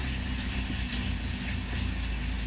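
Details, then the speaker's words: Chevrolet Malibu with P0016/P0017 codes, cam phaser solenoids measuring 13.3 and about 12 ohms, oil very dirty: engine runs lumpy and uneven with irregular low thumps under a steady drone; rough running, timing chain jumped. "i have the car running right now you can probably hear that it still sounds like crap and the song nodes still say the same exact thing"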